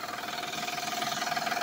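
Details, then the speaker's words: Van at idle, oil changed last month, noise also heard accelerating: fast regular light knocking that sounds like the engine; shop told owner it is loose drive belts, not the engine, needing tightening, unconfirmed. "so the noise is coming from the belt okay the belts are loose um it's not as tight as supposed to be and they want to charge close to $420 okay to get those bu tight so it doesn't make that noise"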